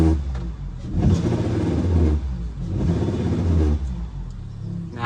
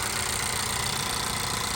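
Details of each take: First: 2017 Honda Accord direct injection engine revved twice, low buzzing rattle and vibration seeming near dash but from engine; bad high-pressure (mechanical) fuel pump. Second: 2017 Honda Accord direct-injection engine after replacing the bad high-pressure fuel pump: even, quiet idle with a light fuel hiss and throttle blips, no rattle or vibration.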